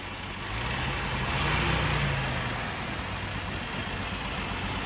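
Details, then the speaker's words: 1988 Jeep Wrangler YJ after an electric fuel pump conversion: an even idle swells briefly on light throttle and settles smooth. When cold it used to fall on its face and nearly stall; it now runs much better. "So, yeah, before, like I was saying earlier, you'd go like that, it'd fall on its face and almost die when it's cold. And oh yeah, it's running way, way better now."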